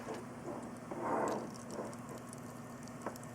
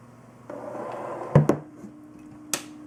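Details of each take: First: Corsair H100i all-in-one liquid cooler pump, shaken to get air flowing; faint steady hum with scattered soft crackles and patter — air bubbles in pump. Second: Corsair H100i all-in-one liquid cooler pump alone, powered via SATA from hot-wired power supply; faint, steady low hum with a few handling clunks, very quiet — normal pump hum.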